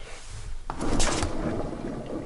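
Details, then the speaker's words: Hustler Super Z zero-turn mower, wheel turned by hand: short rough scraping grind from rusted, worn caster spindle bearings. "we're doing a little surgery on the old hustler super z because all the bearings on this thing are just shot listen to these when i turn them you hear that"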